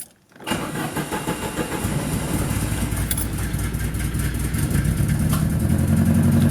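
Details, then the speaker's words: 30-year-old Italian Chrysler, odometer stuck at 70,094 miles, start-up: engine cranks, catches and settles into an uneven, stumbling idle; misfiring badly, owner says it needs new spark plugs. "hopefully it'll keep running it's misfiring pretty bad at the moment"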